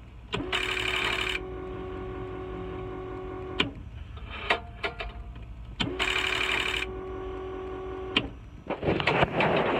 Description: If you dont hear these then straight to fuse box